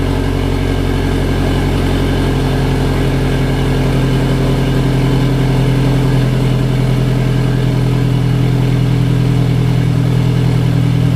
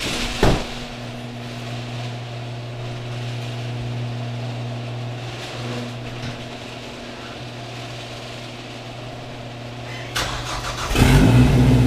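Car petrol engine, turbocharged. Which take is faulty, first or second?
second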